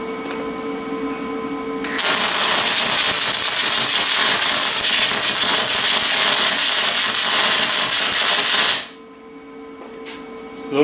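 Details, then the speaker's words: Lincoln 210MP MIG welder being tested for spray transfer at raised wire feed speeds: steady crackling, sizzling arc for about seven seconds. Still short-circuit transfer; machine never reaches spray. "short or still no spray just short circuit"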